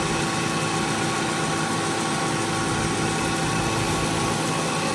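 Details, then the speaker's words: 2015 Subaru Forester A/C after relay replacement: steady even idle with constant compressor hum, no clatter or squeal; A/C cycling normally, cooling better than usual, Freon being topped up. "But, uh, I fixed it and it's working and the temperature is it's better than usual."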